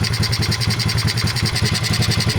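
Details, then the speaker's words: 2003 Honda XR50 pit bike with aftermarket mods, after carburetor reassembly with idle speed set: slow, uneven, lumpy single-cylinder idle from too rich an idle mixture, cleaned up by turning the mixture screw in. "maybe now that's a good idle speed but it's still kind of a ly sound"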